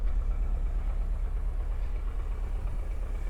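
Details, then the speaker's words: Unidentified car at a Copart auction yard, just started, idles low and unevenly with a shaky pulse about twice a second; an air leak or busted hose is suspected, not confirmed. "Engine's a little shaky, and there's a air leak somewhere, it sounds like. Busted hose."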